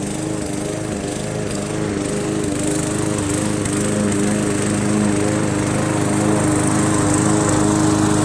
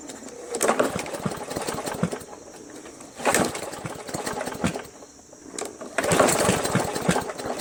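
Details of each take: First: Briggs & Stratton 300E engine on an MTD Yard Machines 20" push mower, mowing grass: steady even drone under load, runs clean after carburetor clean, throttle spring adjustment and draining water from gas tank and carb bowl; normal running. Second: Free roadside MTD Yard Machines 20" push mower, Briggs & Stratton 300E, sat long in a garage: three pull-start attempts sputter, gurgle and die without catching; water found in carb bowl and fuel tank, owner first suspected sheared keyway.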